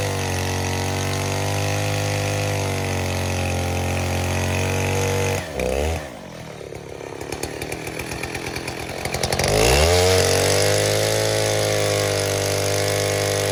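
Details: 070 clone chainsaw with 42-inch solid bar and chain, first use, cutting white oak firewood: high steady two-stroke scream sags as the bar bites the log, then snaps back to full revs; strong and well tuned.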